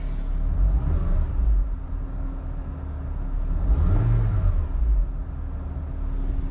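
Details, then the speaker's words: Engine idling smoothly after motor/transmission mount issues: steady low rumble with faint constant hum, no shaking thumps or knocks; vibration completely gone. "Vibration is gone. Completely gone."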